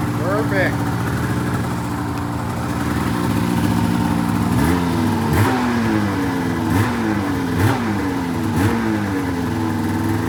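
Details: 2004 Polaris RMK 800 two-stroke snowmobile with full SOP exhaust; crisp idle with quick clean rev blips rising and dropping back without stumbling. Sounds healthy.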